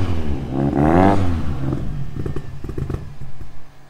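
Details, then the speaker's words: Opel Astra GSi Z20LET turbo, over 500 bhp: brief rev fades into an uneven, spluttering idle that nearly dies off throttle; massively overfueling with a badly set load map, misfiring. "Now it wants to die again, as you can tell. As soon as you let off the throttle, it wants to die."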